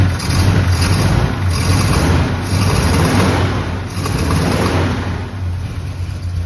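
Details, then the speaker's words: Abandoned barn-find square-body Chevy truck, carbureted, around zero degrees, first start after hours of work: low uneven idle stumbling and surging; rough running, owner believes he found the problem. "hey several hours later I finally got this truck to start it wouldn't run very well but I think I found the problem"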